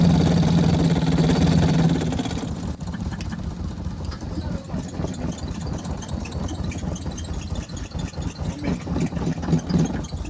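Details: BMW Z3 engine that sat for a while, after hard starting: lumpy, uneven idle with irregular stumbles; misfire suspected from plugs or coils, owner hopes it clears by itself, not confirmed.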